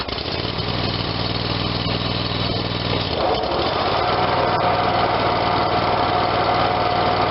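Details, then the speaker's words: Dixon 5022 zero-turn, Kohler Command 22hp twin, after new electric PTO install: steady engine beat, load note steps up about three seconds in as the blades engage, then holds smoothly; PTO running normally. "Alright, I'm going to fire it up. Try the PTO out, make sure everything's good, give it a couple cycles on and off, make sure we don't have any unusual noises."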